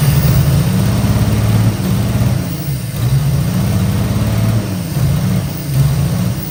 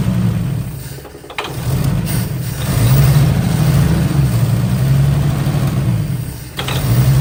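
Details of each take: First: 1955 Chevy Two-Ten coupe parked 40 years: steady rhythmic cranking with uneven surges and the odd pop, never catches; cranks, no start, suspected fuel starvation, as the pump doesn't seem to be delivering fuel. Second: 1955 Chevy Two-Ten coupe parked 40 years, jump pack plus starting fluid: low, somewhat uneven six-cylinder rumble keeps running, rising and falling with throttle blips; engine running on starting fluid after decades parked.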